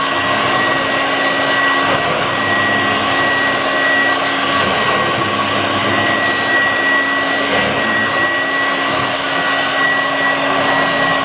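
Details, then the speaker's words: 1986 Vorwerk VK 117-1H upright vacuum cleaner after a modification: steady, even motor roar with a constant high whistle and no surging or rattles; running much better, normal running. "so yes now it's working like it's it much much better"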